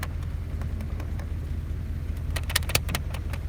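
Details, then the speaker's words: Audi S5 logging misfire and catalyst efficiency codes, idling, heard at the tailpipe during a paper (dollar bill) test; steady low rumble with irregular light ticks and puffs, paper sucked back; slight misfire although misfire counters show nothing. "see how that one's getting is getting sort of back yeah we've got a slight misfire there even though he's not logging"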